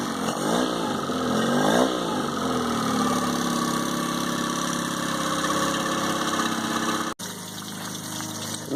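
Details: 2002 Mercury 15 hp four-stroke outboard, first start of the year, cold. It catches and settles into a steady, even idle with a constant high whine; a normal, healthy idle.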